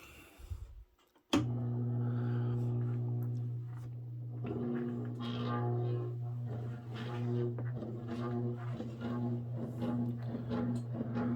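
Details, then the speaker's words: Robbins & Meyers 52-inch ceiling fan, early-to-mid 1920s, little oil, worn motor shaft: low hum with loose uneven knocking as it slowly spins up to about 200 RPM; rotor rocking on worn shaft. "Yeah, this fan is definitely quite janky, and it takes a minute for it to get up to speed here."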